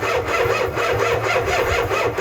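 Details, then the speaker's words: Ford F350 7.3 IDI diesel after starting system repair, on one small weak battery: starter turns engine in even chug, about two compression pulses a second, never fires; starter works, batteries needed. "Well, starter works. That's good news."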